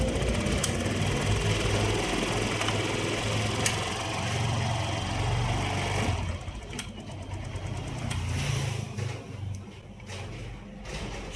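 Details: Honda Click 125 scooter idling with busy, even rattly clatter; noise appeared suddenly and idle is lacking; mechanic suspects worn cam chain tensioner or timing chain, unconfirmed, before opening the head.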